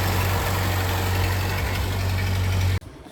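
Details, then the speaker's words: Ford 8N tractor with replacement carburetor: low, steady idle with a slightly uneven, lumpy beat, then it cuts off; carburetor still flooding. "All right, folks, man, we put that new carburetor back on it. It's still flooding. There's still some issues with it."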